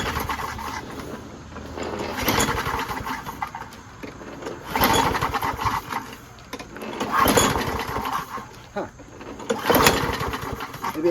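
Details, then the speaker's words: Craftsman self-propelled mower, 6.5HP Briggs Quantum, after a carb clean, primed twice with the bowl seeping: four rough pull-cord bursts that die without catching. No start, possibly flooded, not confirmed. "flooded because I I blew so much stuff in there I primed it two"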